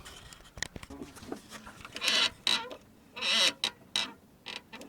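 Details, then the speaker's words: VW Polo sedan: sharp high creaking squeaks in bursts as the clutch pedal is worked; pedal plastic insert already greased, squeak traced to the clutch slave cylinder, to be replaced. "вот здесь вот есть цилиндр и скорее всего он то у нас и скрипит"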